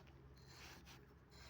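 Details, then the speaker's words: AC compressor shaft turned by hand: dry, uneven rasp as it turns with difficulty; compressor is bad, seized and blocked, to be replaced. "the sound it turn with difficulty. I mean right now AC crunch doesn't turn it completely block it can't move anyway so I will change that soon Yeah."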